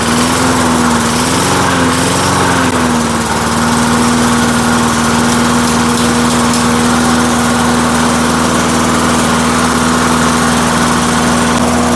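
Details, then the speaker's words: 1990s Lawn Boy Silver Series mower, parked 15 years, revived: small engine holds a smooth, even buzzing drone at steady speed after a brief wobble, no misses or knocks; runs healthy. "I just can't believe this thing starts up and runs as nice as it does"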